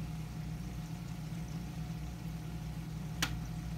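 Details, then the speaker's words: Hydor Smart Wave controller switching an AC pump every five seconds. A quiet, low hum, then one sharp clunk as power reaches the pump and it kicks on: a normal pump start-up clunk. "hear that big clunk I'm not sure if you'd hear it on camera or not but basically every five seconds you'll hear that big clunk because when the pump turns on it makes that clunk when power goes to it"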